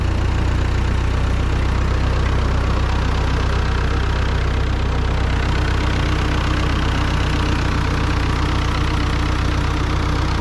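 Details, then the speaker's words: Ford 9N tractor cold start at slightly raised throttle, out of gear, clutch in: starts right up, steady even low chug with no knocks or misses; normal cold idle. "Nice, starts right up. What's nice about these tractors is you can still get parts for them. Still cold yet."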